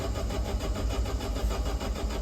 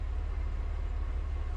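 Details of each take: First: Alfa Romeo Spider, key on, cranking: starter turns steadily at about a hundred rpm but the engine never fires; spark checked and absent, immobilizer blamed; crank no start, no spark. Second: Alfa Romeo Spider engine first start after months unused: low, steady idle with evenly spaced firing pulses, no knock or tick, no oil starvation; normal smooth idle.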